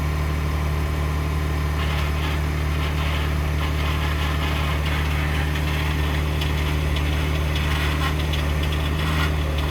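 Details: 2021 Ford F150 PowerBoost, cold start by remote start at -16°C; loud steady low drone with rough churning cavitating/grinding growl at idle, a click heard; only occurs around -11°C and colder, Ford unable to diagnose, source unknown.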